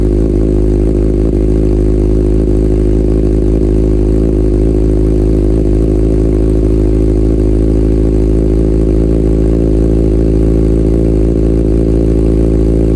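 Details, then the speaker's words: Salvage-rebuilt Kawasaki Ninja ZX6R idling while warming up so coolant circulates, about 63°C and heading toward 98°C fan-on. Smooth, even low burble with no knocks, misses or surging; it idles healthily. "right now the temperature is 63° C we're getting up there still running it's running good it sounds good"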